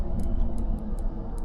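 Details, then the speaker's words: Gulf Stream Endura motorhome relay being bench-tested with power on the coil: it clicks, but the multimeter on continuity never beeps, so the contacts fail to close and the relay is bad and needs replacing. "so you hear clicking and the meter is not beeping so if you guys ever wondered how to diagnose relays without buying them that's the deal"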